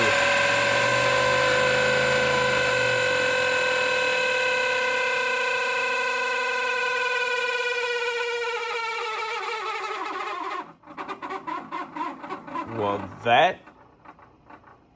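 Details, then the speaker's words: 1985 Pontiac Trans Am electric cooling fan, key on, relay grounded to simulate engine at temperature: loud harsh buzzing whine dropping in pitch as it coasts down; fan motor suspected bad, possibly why a wire burned up. "Well, it looks like the cooling fan motor is making a terrible noise, in which case that may have been why that wire burned up."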